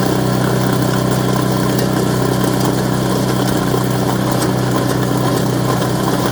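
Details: Craftsman Series 2 snowblower bought at auction, small single-cylinder engine with points ignition, run after reassembly and continuity check: steady, even buzz with no stumbles or surging; running cleanly at normal idle.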